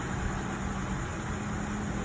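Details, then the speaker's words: Toyota Kijang Innova at idle with the AC on, after a compressor service: an even, steady hum with no growl or rumble underneath, where before it growled badly; compressor now running smooth and normal. "ini setelah dilakukan servis kompresor dan hasilnya halus suaranya sudah enggak ngorok lagi"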